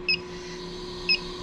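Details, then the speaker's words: Commercial Laars hydronic boiler, electronic combustible gas detector checked at unions and valves; two short high chirps from slow idle tick, no speed-up at fittings; no gas leak. "and looks like we're good to go and I'm also going to spray these start the unit make sure there's no leaks"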